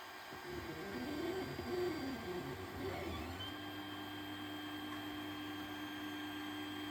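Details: 3D printer after the nozzle was changed and the bed re-leveled following filament breaks and jams. Stepper motors sing in shifting tones, then settle into a steady, even hum with no skipping or grinding. Printing normally.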